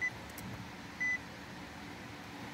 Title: NISSAN ALTIMA 2021 NO CRANK NO START | 2021 ALTIMA REPLACE IPDM AND CONFIGURATION